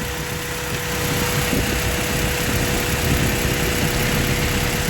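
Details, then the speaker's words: 1995 Honda Prelude 2.3 VTEC with stalling problems, oil cap off at idle, oil collected at throttle plate, compression 150/130: loud rushing, puffing hiss over a ragged beat; heavy blow-by, owner suspects worn engine and fouled plugs. "look at the amount of blow by this engine has look all the oil collected inside a throttle plate I remove the oil"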